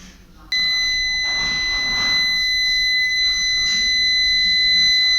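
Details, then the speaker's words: Peugeot 307 with the right brake light not working. A multimeter gives a steady continuity beep between the burnt ground terminal and the adjacent brake-light terminal in the rear light connector. This short burned out the VNQ830 driver; poor contact was the root cause. "It is visible that the burned-out ground terminal and the adjacent brake light terminal are shorted together. If we check, we will see or hear the short circuit."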